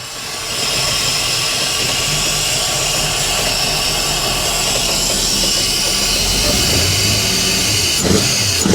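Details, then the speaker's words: 1989 Wellcraft with a Mercruiser 350 Magnum V8 converted from a Quadrajet carburetor to Jegs Bandit throttle-body EFI: even, smooth idle with no stumbles or surging, under heavy rain hiss. "even idle and perfect"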